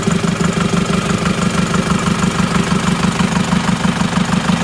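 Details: Isuzu Panther diesel after fitting a new spring to the number one injector nozzle: an even, steady idle knock of about three beats a second with no stumble; cylinder one now fires, though its pressure is highest and still needs equalizing.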